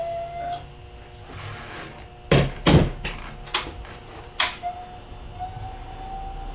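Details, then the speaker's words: 2000 Aprilia Mille R, fuel pump priming at key-on after fuel pressure regulator vacuum line repair: steady mid-pitched whine under handling clunks that stops once pressurized; owner says the pump sounds terrible. "fuel pump is wine [Music] and once that fuel pump pressurizes it stops making the the [Music]"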